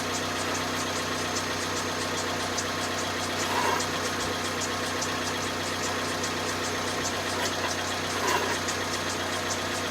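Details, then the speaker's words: 2010 Vauxhall Zafira 1.8 petrol, about 140,000 on the clock, first suspected rod knock: even idle with a light regular tick and some rubbing, steady with engine speed; owner suspects the water pump and possibly the timing belt tensioner or dampener, unconfirmed. "Right, so the conclusion is, I reckon, water pump, definitely, and yeah, so definitely needs the water pump, but I don't know if you heard from the bottom there, it sounds like that dampener, so it could well be the tensioner on the timing belt,"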